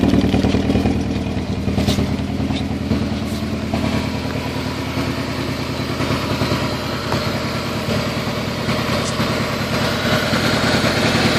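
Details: Toyota Celica ST202 misfiring at idle: idle stumbles with an uneven, lumpy beat of about three pulses a second instead of a smooth hum.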